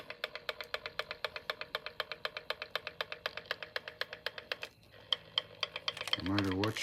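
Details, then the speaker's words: Fan gives a crisp even tick about four times a second, keeping pace with the blade, whichever way it is turned; something in the fan clicks every revolution, cause unknown. "way I turn it it's going to keep making that noise huh this driving me freaking crazy"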